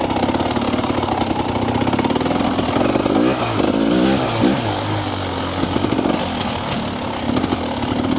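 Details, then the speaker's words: Two-stroke TBI dirt bike on stock ECU map, ridden very slowly on trail: pops and hesitates unevenly instead of pulling clean; low-rpm stutter typical of TBI bikes from stock fueling. "so I ride really slow not that I need to in this Trail but just to demonstrate you can hear that stutter"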